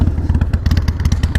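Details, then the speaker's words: Harley-Davidson Sportster 48 at idle during a purchase inspection; lumpy V-twin idle with a loose metallic clatter on each firing pulse, a weird flanking sound; possibly a loose exhaust, source not found; rattle at idle. "sound coming out you guys hear that sounds like flanking i mean it's a really cool look let me make sure that's not just like a loose exhaust oh you know what that might be what it is"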